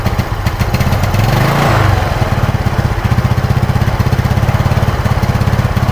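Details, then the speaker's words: Yamaha Mio Sporty carbureted scooter when hot, after carburetor service and a CDI swap: engine blips up then settles into a choppy uneven putter at half throttle; misfire/stutter at part throttle, cause still unknown. "ini udah semua disaat mulai setengah gas nah mulai terdengar brebetnya"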